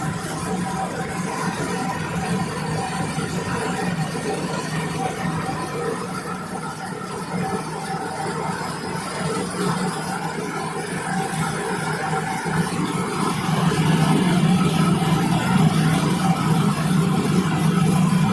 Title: How does a bearing failures makes noise....take a look. #bearingfailure #motor